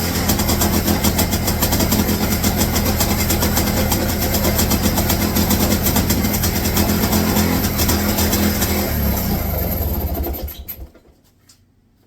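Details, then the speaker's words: 1966 Puch Allstate two-stroke, first start in about 48 years, throttle hanging open: uneven burble, a little rough but firing steadily, then dies away; engine running again. "that old girl ran first start in almost 50 years ooo let's keep it running"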